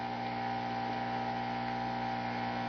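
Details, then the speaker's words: Home-built tube amp with somewhat noisy tubes: steady low electrical hum with buzzy edge; mains hum picked up from lights and surroundings, chassis-to-earth grounding helps a little, cause unclear. "cuz grounding the chassis to Earth ground also helps a little bit it's picking up noise from the lights and everything else one of the problems that you do run into sometimes with uh uh High Gain amplifiers is they start uh picking up noise from the surrounding areas"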